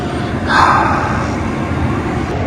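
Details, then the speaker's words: 2004-2008 Ford F-150 cab blower after replacing the faulty blower motor (fuses replaced, controls verified with voltage); strong steady rush of air on high, no squeal or rattle; blower working properly. "all right guys so it was a success look it's blowing blowing the box lid you can hear it"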